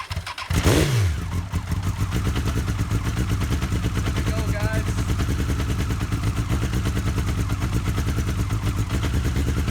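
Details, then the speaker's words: Honda CBR FireBlade revival, first start after fuel pump gasket retorqued and kill switch bypassed: starter catches, settles into steady even four-cylinder idle, no knock or misfire; normal start. "let it run for 10 or 15 seconds doesn't sound bad there we go I can't believe it I got this thing running"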